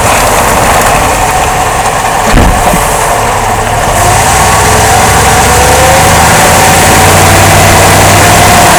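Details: 2005 Jeep Grand Cherokee driving: steady rhythmic thump about four a second under road and engine noise, caused by worn front drive axle support rubber bushing and bad front driveshaft universal joint, replaced.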